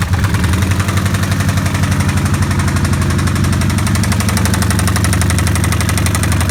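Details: 2005 Kawasaki Vulcan 1500 restarted after being ridden without oil and then overfilled: a heavy, steady knock about three per second from the lower engine case at idle. Cause unconfirmed.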